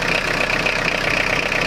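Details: Citroen Jumpy/Dispatch XUD9TF diesel, fuel filter changed without effect, owner suspects air entering the fuel line: steady clatter at idle with an uneven, lumpy beat; rough idle; rougher and louder with timing advance unplugged, hesitation with it plugged in.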